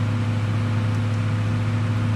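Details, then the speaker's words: RV powered by a Samlex PST-2000-12 2000 W inverter running a microwave, drawing about 1,100 W; steady low hum, soft fan rush, no rattle or whine, inverter fan coping fine under heavy load. "so we'll just turn on the microwave for around thirty seconds you're the fans slowing down a little bit we're drawing 1,100 watts sir by the looks of it"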